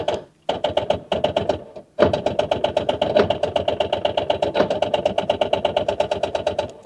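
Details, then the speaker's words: Rover 800 abandoned in brambles for 15 years, first start attempt: slow, labored starter clacking that stalls, then grinds on at a few beats a second. Owner thinks the engine is locked up, though possibly the anti-theft device. "I don't think this engine's any good. I'll be honest with you, I think she's locked up. She definitely sounds locked up to me."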